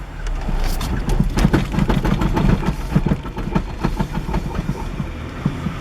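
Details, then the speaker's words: 1998 Acura Integra manual with a replaced axle: uneven low thumps and jolts as the clutch is released; it clunks and bucks hardest on clutch release and the steering feels odd; cause unknown. "so when the clutch is let out it's brutal I mean so I don't know what's going on so when I'm releasing the clutch I feel like that's what I'm getting at the most"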